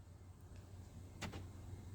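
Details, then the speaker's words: Truck with long-range remote start installed, after pairing remotes: remote button tapped twice to unlock, brief sharp clack from door lock actuators firing together, then quiet; power door locks working normally. "You'll hear the door locks. You're going to tap it 2 times. You'll hear the doors unlock."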